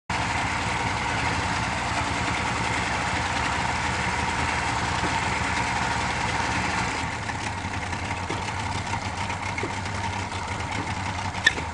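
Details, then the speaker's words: Yamaha outboard on a small Whaler idling with a steady hum, pee tube disconnected, then tone drops and a brief sharp chirp as it abruptly stalls; cause unknown. "I have a piss tube disconnected off the back which is no big deal but it stalls with a chirp an abrupt CH and stops"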